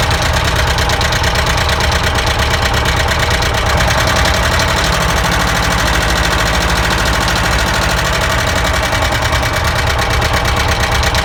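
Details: ZAZ engine knock, checked by pulling spark plug caps: loud rough idle with a dull knock at engine speed; no cylinder pinned down.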